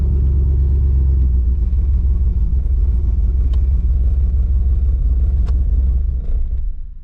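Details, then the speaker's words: Trans Am with LQ4 408 stroker (6.7 L) V8, stage 3 turbo cam, not fully tuned, driving in cold weather: deep, lumpy, stumbling rumble under load with vibration, misfiring; later P0200 found, driver-side injectors not firing. "oh you're running like [ __ ] yeah you can hear it yep you can feel it you can feel the car vibrating"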